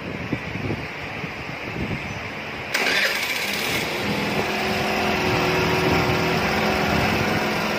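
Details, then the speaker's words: Suzuki Burgman Street scooter during manual idle speed control (ISC) reset: quiet cranking, engine catches and settles into weak low idle because the ISC was turned short of a full turn; low idle from incorrect ISC adjustment. "Kulang pa. Ibig sabihin, mali ang ating receipt. Mali yung ikot natin 8-8 kalakalhati."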